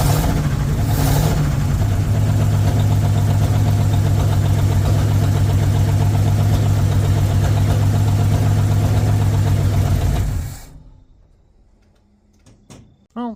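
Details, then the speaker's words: 1959 Ford Vanette, 272 Y-block V8, first start after long storage with fuel fed into the carburetor (fuel pump faulty): steady idle with light top-end tapping, good oil pressure on gauge; slightly noisy from sitting, old oil suspected. "runs pretty decent I did have an oil pressure gauge hooked up it does have good oil pressure a little noisy cuz it's been sitting and God knows what's in the oil that's actually in there right now"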